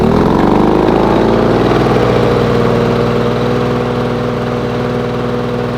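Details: Lawn Boy two-stroke mower after fine tuning, previously rich with low revs: steady even buzz, quick regular firing beat, no misses or surging; runs smoothly.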